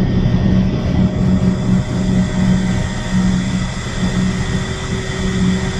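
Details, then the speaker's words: Shinko steam turbine generator, boiler online, at its rated 1800 RPM with the enclosure door closed and no excitation yet, so no power produced: a smooth, steady rumble with constant tones and no knocks or surging. Normal operation. "Okay, so we're up to rated speed for the generator. So the generator is spinning right now, but we're not producing any electricity because we haven't turned on the excitation."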